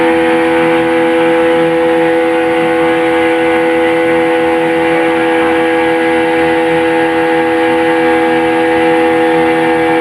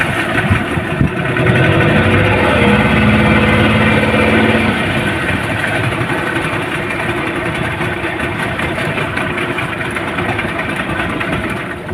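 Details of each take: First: Yamaha 15 hp outboard test run at full power after repair. It had been hard to start with no power, caused by a weakened ignition coil (270 ohm) and a flooded carburetor. Now a loud, steady, high-revving drone holds a constant pitch with no misses or surging. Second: Yamaha 15 hp outboard at full throttle drones flat and uneven without climbing in pitch, then sags off; hard starting and total loss of power from a weakened ignition coil and clogged carburettor.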